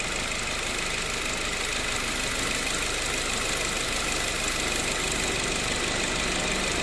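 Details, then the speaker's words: Mazda3 with 255,293 km, after AC hose, expansion valve and O-ring replacement, revved while parked in the sun. Idle is even, with smooth compressor hiss and hum and no rattle, grind or bearing whine. Compressor cycles normally, cabin 8–9°C, outside 28–30°C. "มีคำตัดนะคะคอมแอร์ตัดต่อปกติคะ"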